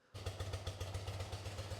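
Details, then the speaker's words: 1980-1996 BMW boxer twin (R45-R100) warmed up before carburetor synchronization, idling a little low: slow, even exhaust thumps at about seven per second. "So, it's idling a little low."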